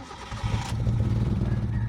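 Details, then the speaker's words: Mitsubishi GSR, manual, hard start: a short crank, then it catches with a lumpy, shaking low note, then dies and won't stay running. RPM hunts, worse with aircon. The throttle body was clogged. "siya anan nanginginig tapos patay ulit ay patay ayaw niya diretso start"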